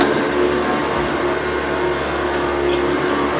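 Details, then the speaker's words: Restored 110 V USA Hoover Convertible U4173 running on carpet: steady motor hum with an even beater bar rumble and no belt slap, running healthy. "it's replaced with the sound of the beat bar hammering the floor. It really is quite good."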